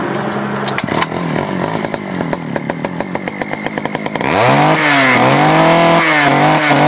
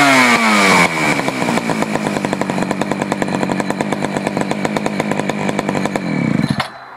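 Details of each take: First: Poulan 4200 chainsaw, cold start, crackles unevenly then revs to a high, slightly flat, hunting scream; reported running a little lean, being adjusted at the low (bottom) carburetor screw. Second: Poulan 4200 chainsaw, warmed up after cold start, low carburetor screw adjusted because it ran lean: crisp, even two-stroke buzz at high revs, then a clean drop-off without the earlier muffled sound; running well.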